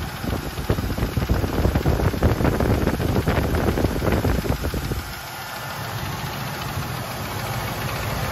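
Quick light ticking rattles over a steady V8 idle for a few seconds, then eases off; there's a tapping noise in the top end.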